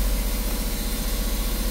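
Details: Westerbeke marine generator after capacitor replacement, now giving 120 V, as chargers and air conditioning are switched on; steady low diesel drone with even pulse about ten beats a second, holding speed smoothly under load; normal.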